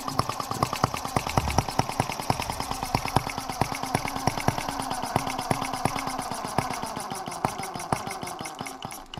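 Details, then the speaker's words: Microcosm R18 model of the 1886 Benz Motorwagen engine, first run after unboxing: rapid sharp pops with uneven spacing and wandering speed, hunting. The carburetor is very fussy and is probably true to the original design. Erratic running. "It's very, very, very fussy, but I mean, what do you expect? I mean, the way that carburetor is set up, it's probably very true to design."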